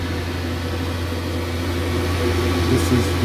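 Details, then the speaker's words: Boiler firing up after repressurising the expansion vessel, with the room thermostat turned up, demand light on and the pump pushing air out: a low steady hum with a coarse rattling drone over the fan rush, growing slightly louder. The fan is vibrating badly. "as you can probably hear the fan's very nicer it's vibrating like crazy so that's gonna be three parts which we don't have to come back and change"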